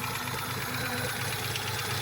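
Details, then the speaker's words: Engine still misfiring after fuel pump priming and start, lacking power: rough idle with a steady knock each turn, more lifter tap than deep rod knock; owner suspects a lifter, cause unconfirmed; engine knocking at idle. "Oh, that's fucking knocking for sure."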